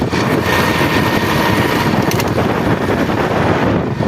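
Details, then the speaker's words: Honda Beat ESP scooter about 3 weeks into break-in after a new engine block: thin, steady humming whine from the final drive gearbox over the engine. A reduced crack sound remains, which the owner suspects comes from a loose connecting rod. "Untuk suara cracknya itu agak nggak terdengar lagi guys ya, tapi malah suara dari gardanya yang suara dengung kali guys, seperti ini suara dengungnya"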